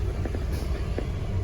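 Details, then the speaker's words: Peugeot 206 with the engine hot after driving in hot weather and traffic, AC on, restarted after a relay wiring fix for the hot no-start: catches and settles into a steady, even idle under the fan's whir; normal hot restart. "Jadi saya cukupin dulu videonya. sampai di sini karena ini sudah okelah mudah-mudahan ya AC juga masih dingin, e starter juga oke."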